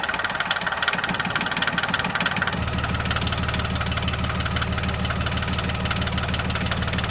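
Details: John Deere 750 tractor diesel after water pump replacement and refilling with 50-50 antifreeze, running to check for leaks; even, steady idle chug at about three beats a second, no knocks or misses. Normal diesel idle.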